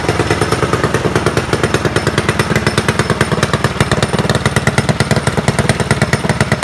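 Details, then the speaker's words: Predator single-cylinder small engine (open class) on first warm-up after installing an upgraded cylinder head with strong CFM and matched camshaft; quick, crisp, even firing pulses at steady speed, no misses or knocks, running normally. "So that sounds pretty good. I'm looking forward to this weekend."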